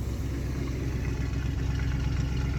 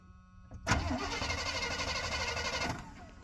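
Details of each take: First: Free plow truck V8 running on all eight cylinders on its original ignition module; deep, steady, even rumble with no misses or knocks; normal idle. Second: Free plow truck: starter spins the engine evenly for two seconds with no firing and no spark; owner suspects the ignition module burned out because the ground wasn't connected correctly; crank, no start.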